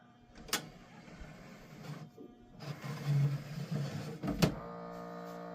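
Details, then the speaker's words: 1983 Sears SelectaVision CED player, first test: sharp clack, then a motor whirring and clicking in short stages before a steady hum; disc loading works normally, though owner suspects a bad belt elsewhere. "okay well the mechanism to at least load the disc works"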